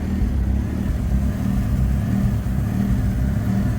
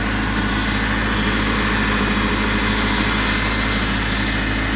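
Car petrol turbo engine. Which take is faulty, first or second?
first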